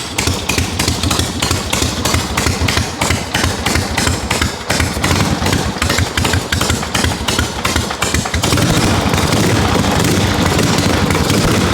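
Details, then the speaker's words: 1974 Harley XLCH Ironhead chopper, running after 5 years apart, carb long sitting, still cold: loose lumpy V-twin beat about three pulses a second, steady with no knocks; normal cold idle. "Still cold, so I'm not expecting it to be super snappy yet, but we got a runner, which is a lot of extra motivation to get this thing done and off the lift, because this is supposed to be coming to the chopper party."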